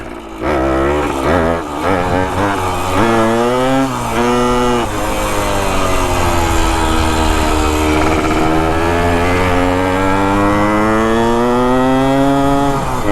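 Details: 1973 ATMX 125 two-stroke ridden up the street after kickstarter and clutch repair: revs flare and hang high while the bike barely pulls harder, so the clutch is still slipping slightly; the owner says everything measures good and doesn't know why.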